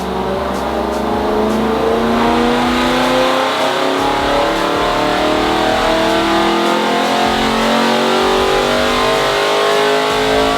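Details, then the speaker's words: Supercharged BMW E92 M3 V8 on a dyno, base map, after the ignition earth fix: pulls hard and clean toward the redline with no stumble; healthy full-throttle pull, expected just over 600 on this pulley. "and though he reached the red line that I hope you that's the problem fixed and thankfully it was the car run perfectly that time"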